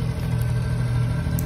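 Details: Scooter after crankshaft-bearing-related clutch/rubber damper repair and engine cleaning, odometer 48,000 (not working): smooth even low hum at steady idle, no knocks or rattles; only the headlight bracket was noisy, now quiet; normal idle.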